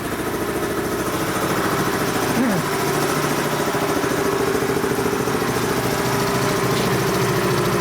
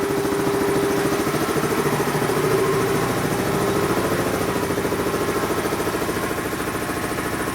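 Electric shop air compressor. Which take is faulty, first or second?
first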